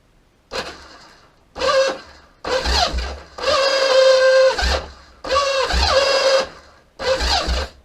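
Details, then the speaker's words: Kawasaki KZ750B starter clutch, bike on a stand, before refurbishment: repeated second-long bursts of free starter whirring rising and falling with no engine catching; the starter clutch slips and does not grab the crankshaft. "now um well as you can hear it's um it's spinning it's not fing engage in where it needs to uh s of grab the crankshaft"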